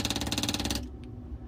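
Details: Fischer Panda 5K generator, cover off during service: quick, even ticking about sixteen per second for under a second, then cuts off cleanly; electric fuel pump operating normally.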